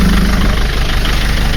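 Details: Mercedes Sprinter 903 CDI diesel that cranked without firing in cold weather (new glow plugs didn't help), first start after fitting a reconditioned starter motor; loud even diesel clatter, steady rumble, no hunting; normal idle.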